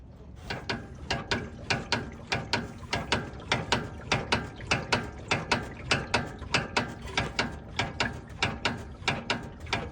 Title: Front End Clunking Noise